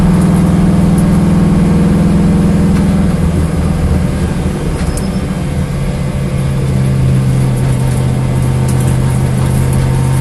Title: Corvette Engine Misfire